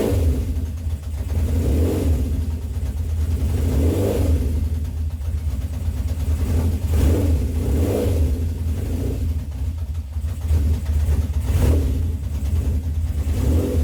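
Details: 1970 Honda CB750 K0 four-cylinder, slightly warmed up after first run in about 30 years: steady low drone with smooth rev swells every couple of seconds, no knocks or misses; sounds very healthy.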